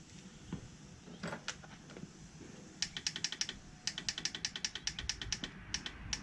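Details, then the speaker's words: Tao Tao 110cc mini ATV, battery probably dead. Quick runs of sharp even clicks, several per second, with no cranking; owner suspects the battery, possibly something else. "Now it's clicking. Alright, so that's going to tell me two things. Either the battery is shot, which I think that's actually what it is, or something else."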